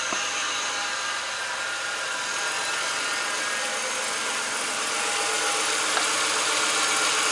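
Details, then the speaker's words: Ford BA Falcon after power steering high-pressure line replacement, bleeding the system at idle: steady airy hiss and whir as air is pulled through the pump. "oh and i can feel it shuttering and that's air being pulled through the pump"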